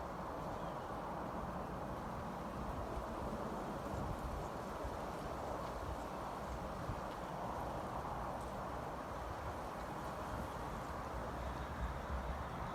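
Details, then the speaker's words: Payne outdoor condenser unit, tonnage unknown (owner guesses maybe 5 ton), running on cooling: steady, even fan whoosh with low compressor hum, no knocks or rattles; runs normally. "so this is the outdoor unit pain see how many tons it is it's either like 5 ton or something like I don't know I'm going to start it up and I'll do shutdown"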